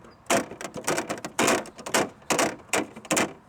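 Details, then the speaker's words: SUV rear hatch slammed: sharp, tinny irregular rattles from the rear license plate and flexing plastic frame, worse than with the metal frame. "you're also going to hear the rattling sound and it's coming from your license plate frame"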